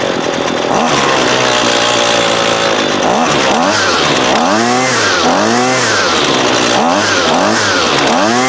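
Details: Husqvarna 128LD 28cc trimmer, warmed up with the line fully extended for load, that won't idle: during low-side (left screw) carb adjustment, the revs rise and sag unevenly and stumble; lean low-speed mixture causing hesitation.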